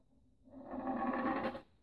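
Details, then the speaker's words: Austin A35 A-Series engine rebuild: a pushrod rolled on a flat surface makes a rough, buzzing rattle and rocks, showing it is bent, unlike a straight one that rolls smoothly. "know if you can see that you can hear it it's making a noise and can you see the difference so you look it's rock in there that should rule there and that's how you can tell the push rod to bend"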